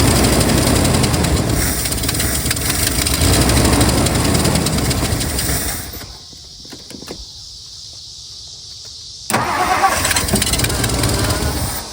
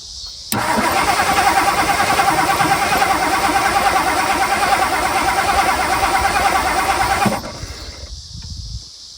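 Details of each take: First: 1964 Mercury Marauder Montclair 390 V8 with 2-barrel carb, sitting since 1987, now getting fuel: it catches, runs rough a few seconds, nearly dies, then fires again. A leaking hose fitting then sprayed fuel onto the coil wire and started an engine fire. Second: 1964 Mercury Marauder 390 V8, sitting since 1987, coil powered directly and gas poured down carburetor: about seven seconds of even cranking, never fires; spark unsure, ignition points later sanded.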